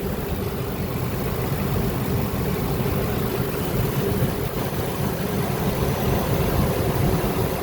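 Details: Workhorse chassis 8.1 Vortec V8 after installing AC compressor bypass with shorter belt and new idler pulley: deep, even idle with no squeal, chirp or bearing growl from belt drive; runs clean.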